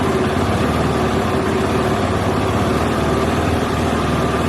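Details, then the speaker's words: KTM four-stroke, idle set via red throttle-body knob to the recommended 2200–2300 rpm: fast busy single-cylinder idle that fluctuates up and down and is hard to hold; unstable idle. "it's unstable that's why it's hard to hold it fluctuates up and down"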